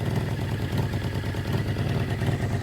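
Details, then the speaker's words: 1981 Suzuki GS650GL inline-four motorcycle, sat for years, first start on choke: lumpy, stumbling low idle with one cylinder not firing yet; the carbs need syncing. "think we may be missing one it's coming around Tag's not working [Music] yeah we got carbs need to be synced"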